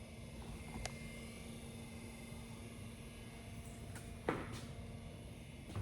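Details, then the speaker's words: 1978 Chevy C20 truck: the heater blower fan runs constantly with only the key on. A faint, steady low hum with the odd click in a quiet cab. Wiring is believed correct and the cause is unknown. "The fans run all the time. So weird. Here, let's listen to this. And all I did was just turn the key on, and the fan runs."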